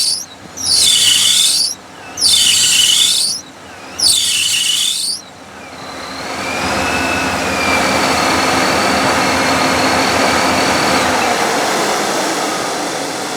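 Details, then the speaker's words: Hot L29 454 truck with ProCharger kit and new alternator: loud high-pitched squeal bursts, then a steadier squeal over the engine, normally from startup until warm; belt slipping on the accessory drive is suspected, not confirmed. "truck's hot right now this is not doing it like it has been doing it wherein from startup it is squealing like that the whole time until it warms up a little bit"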